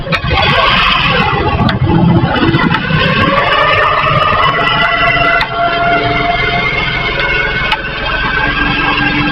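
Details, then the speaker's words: Honda CD70 motorcycle used for carrying loads, with a rack fitted; engine climbing in gear gives sharp clicks roughly every two seconds from the drive chain, traced to a worn master link (chain lock), which is replaced. "तो जब gear लगा के हम check चलाते हैं bike को उस वक्त आवाज आती है।"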